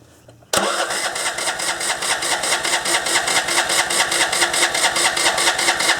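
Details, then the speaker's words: MTD ride-on mower, deck removed, surging problem, running without air cleaner after fuel poured into carburettor: steady starter cranking about two and a half turns a second without catching; cranks but won't start. "all right so why won't you start at this point I couldn't actually believe that I've made it worse"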